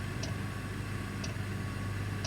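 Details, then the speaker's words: Parked heavy-haul truck with engine off, Webasto diesel bunk heater running: soft, even tick about once a second over a low steady rumble, the heater's normal fuel-pump clicking. "by the way if you hear that clicking sound don't be alarmed that's my uh bunk heater Webasto cuz I don't want to run the engine and so I'm running my heater"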